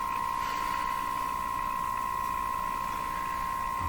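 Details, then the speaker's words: Moffat Crosley G2465 five-tube radio, IF alignment at 455 kHz, powered through dim bulb: steady test tone with fast even warble/garbling because signal generator ground was hooked to something other than B minus. "the radio I get this this is suggesting to me that I don't have the signal generator hooked up to B minus I've hooked that up to something else the the ground side of it"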